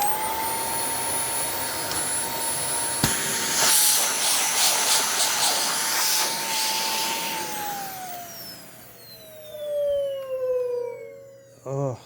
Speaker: that's shouting and screaming so yeah this one needs a it needs a button for the hose needs a needs a uh needs that valve cleaned